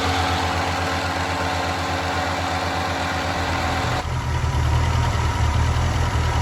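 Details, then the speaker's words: 1985 Ford Escort wagon, 1.6 L two-barrel carbureted inline-4, idling before a compression test: uneven idle with a faint hiss over a wavering low rumble from several vacuum leaks; covering one with a finger raises the idle. "you can hear all of the vacuum leaves going on in there there's quite a couple like I can tap one just by reaching right here and it'll kind of pick up a little bit and I'm blood back down if I uh take my finger off"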